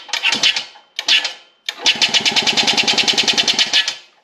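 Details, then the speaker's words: 1989 EZGO Marathon golf cart, Robin EC25-2PG 244cc two-stroke, muffler off: short starts, then harsh sharp rapping about nine times a second from the open exhaust, like scraping inside; suspected piston slap, unconfirmed. "That noise is coming out of the exhaust real good now. Let's, yeah, you can hear that noise. It's horrible. It sounds like straight scraping inside there."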